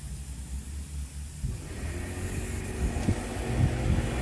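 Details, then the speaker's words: Pancake compressor blowing out lawn sprinkler lines; low uneven rumble builds into a steady rush of air and sputtering water as the compressor kicks on, a normal blowout. "so of course we hear the compressor goes on you can see the water is blowing out right now you can also see air blowing out"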